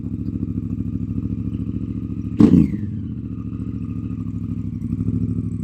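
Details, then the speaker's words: Honda CRF Africa Twin, started first time after 2 months unused: loud, open, deep idle with hard exhaust pulses and one quick blip; exhaust baffle (decibel killer) blew out, possibly after its grub screw loosened from resonance. "And I was at the traffic lights one day, pulled away rather enthusiastically, shall we say, and as I went, Nala just coughed out her baffle, and I instantly noticed that the bike was sounding considerably louder"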